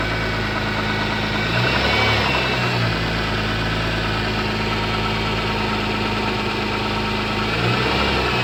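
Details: MG ZS 180 engine at steady idle with a light regular knock, about four beats per second; engine knock, source unclear.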